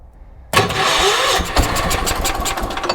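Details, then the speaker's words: 1980s ORVCO Transtrack UTV, first start with fuel sprinkled into the carburetor and the choke on: a sudden catch after silence, then an uneven, rough chuffing run as it keeps going on more choke. "Oh, this is going to be easy. Oh, how good. All right, let's see if we can get it to keep running and give it a bit more of a choke again."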